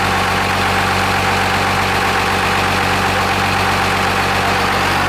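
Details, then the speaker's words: 12-valve Cummins inline-six diesel swapped into a Dodge B3500 Ram van: loud, steady, even idle clatter with no misses, knocks or surging; runs like a sewing machine, though not charging. "Thing sounds cherry. It sounds real happy. Well, sewing machine."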